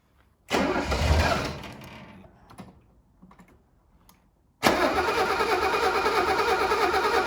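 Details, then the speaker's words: 1983 Mercedes W126 280SE unused for over 10 years: cranks, dies, then catches and runs evenly when given direct fuel, so ignition is good; the fuel pump still can't be heard running, suspected poor power to the pump. "Ah là, ouais, elle veut y aller. Ouais, c'est le carburant. L'allumage est bon."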